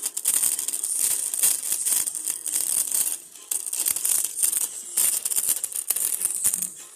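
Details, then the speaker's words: Acer Swift 3 laptop playing music at 100% volume, before speaker replacement, with a very weak startup tone: thin, tinny sound with no bass and a buzzy rattle on every beat; distorted speaker. "So ganyan siya ka-distorted yung kanyang audio sound. Yung quality niya talagang hindi mo na maintindihan yung piniplay mong audio."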